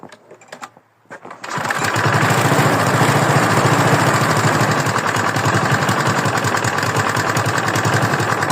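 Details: Free used lawn mower engine starting and running at steady speed with a rapid rough rapping in the running note; engine knock, owner asks whether it is rod knock, unconfirmed.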